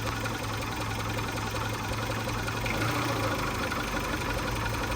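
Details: Abandoned 1995 Geo Tracker running, with the AC compressor kicking in: steady petrol idle with a loose, uneven knock of about two to three beats a second; the cause is unconfirmed, and wiring and cap issues are also noted.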